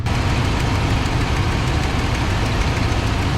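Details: 1995 Ford F-150 after throttle position sensor replacement, cold start in the shop with exhaust vented outside: deep steady rumble, idle comes down and settles with no surging or hunting; an exhaust leak is also heard.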